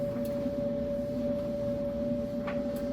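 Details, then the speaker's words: Maytag electric dryer, a couple of years old, tumbling on time dry with no vent hose fitted, so the blower motor is audible. A constant motor hum with a faint, steady whine and no scraping or thumping. Normal dryer operation. "great. And then once you get your vent hose on the back, it muffles this. You can kind of hear the blower motor, but see how that sound just completely goes away."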